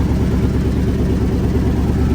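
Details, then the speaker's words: Owner's father's old truck, long sat unused, now running and driving: loud, raw, rumbly idle with coarse puffing and no muffling as the rusted-out exhaust leaks; exhaust leak. "It's running. Exhaust is rusted out."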